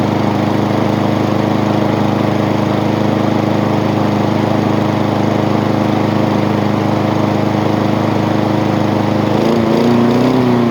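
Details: Honda small single-cylinder engine after repair, with everything now moving as it should after it had been loading up. Steady, even putter around 220 beats a minute with no misses; runs healthy.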